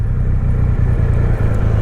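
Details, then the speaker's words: 2020 Triumph Rocket 3 GT triple under way, just after rear master brake cylinder recall repair and oil change: steady low, even drone, no knocks or rattles, running smoothly at 34.8 mpg; normal running. "The motor's running like a sewing machine, and it's telling me 34.8 mpg,"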